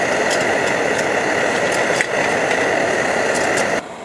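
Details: Optimus Hiker Plus pressurized stove; steady even hissing roar, no sputtering or surging, then drops away: normal burner roar.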